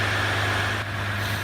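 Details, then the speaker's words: 2014-2016 Ram EcoDiesel at about 15,263 miles, just after a fuel filter replacement and priming. It starts easily and idles with steady, even diesel clatter and a smooth drone, no stumbles or misses. Normal idle. "Absolutely perfect. Idle's good, it's not running rough, it's not misfiring, had no problem starting."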